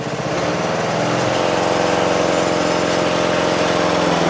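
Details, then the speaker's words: Toro Wheel Horse 825 riding mower with a Briggs 8 HP single-cylinder engine, after a new battery, carburetor replacement and reattached throttle linkage: starts on choke, then putters at a steady, even lowest idle with no stumbling or surging. "Let's see if it starts. Ooh, ooh, ooh, ooh. Sounds great! I'm going to put it all the way to the lowest idle."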